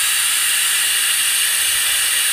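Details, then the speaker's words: RamAir air compressor with the motor stopped and the tank at about 6 on the gauge: a steady, high, even hiss as pressurised air escapes around the shaft seal. "let's again it's squeezing all the air around the [Music] shaft and with it not running you could hear it really dushing out"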